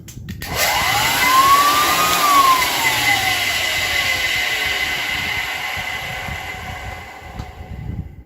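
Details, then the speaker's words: 1923 GE Premier Junior vacuum cleaner after a new cord and freshly grease-packed ball bearings: motor spins up with a smooth rising hum, holds steady, then coasts down evenly, quiet with no grinding; normal motor run. "sounds good to me see if this works well that works"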